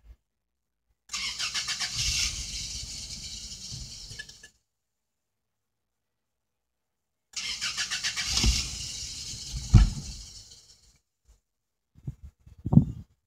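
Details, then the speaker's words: 1988 Toyota pickup 22RE 2.4L after replacing the suspected-bad air flow meter, with the fuel pump primed: several seconds of cranking, then it catches briefly, stumbles and dies, with short failed bursts after; it starts but won't keep running, and a code 51 is now stored. "so far our truck still not going it cranks up a little bit longer than it does I mean uh starts up a little bit longer than it did but now we got other issues"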